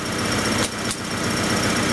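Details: 1994 Acura Integra 1.8 L DOHC warming up after a cold fast idle valve adjustment fixed its idle surge. Holds a steady, even idle over two seconds with no hunting: normal idle.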